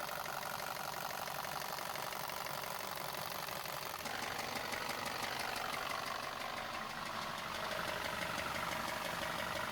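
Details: Neglected VW Passat engine, many fault codes including cylinder knock above threshold: sharp metallic knock about three times a second over idle, steady and deep; sounds like rod bearing knock, though cracked flywheel or timing chain tensioner not yet ruled out.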